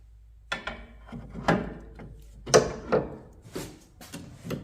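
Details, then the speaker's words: MG TF 160 rear suspension: rubber D-mount bush levered with a bar gives irregular dry creaks and squeaks, the same squeak heard from inside the car when jumping on the sill; worn bush. "And you can hear it. That sounds like it's coming from that bush. And if you wiggle it on the other side as well, it gives you the exact sound that I can hear from inside the car."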